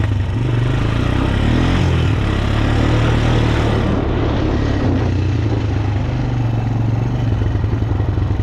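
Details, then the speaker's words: Honda TRX250TE Recon quad after rebuild (head and rod bearing), breaking in and ridden gently: single-cylinder thump pulls cleanly and steadily under riding load, no knock or rattle; engine sounds healthy, pretty peppy. "I want to go for a ride and show you how it runs. We're still breaking it in, so we ain't gonna be romping on it or nothing. But for a little quad, this is pretty peppy."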